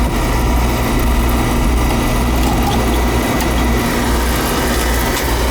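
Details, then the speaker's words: Oil furnace after service with a new nozzle, cleaned head and new filter: constant even roar of flame and fan with no pulsing, rumbling or sputter; burner firing cleanly with good overflow and draft. "Alright, new nozzle, good. New filterette tank, good overflow and draft."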